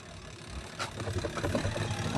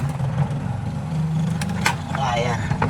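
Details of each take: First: Single-tub spin dryer with a new gearbox and no brake, hum rising as it spins up, with uneven low rumbling and knocks; wobbles because clothes were left inside, an unbalanced load, and stops wobbling once emptied. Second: Single-tub spin dryer that had been droning, running after the brake was found to be the problem. The motor hums evenly and the drum turns freely with no rubbing or labouring.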